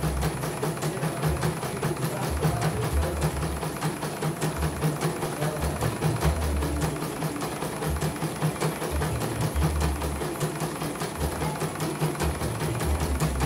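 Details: CNY embroidery machine from Mojokerto, arrived totally jammed with heavy rotation after prior service, tested on small frame after repair and calibration; even steady ticking at constant stitch rate over low hum, no catches or skips: running normally.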